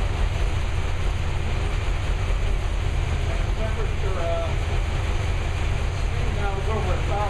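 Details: New V8 with Lunati 60140 solid cam, idling hot after valve lash was reset from about .010 to .014 intake and exhaust per the cam card: deep, steady idle with heavy low rumble, no valve tick standing out; solid-lifter top end sounds healthy.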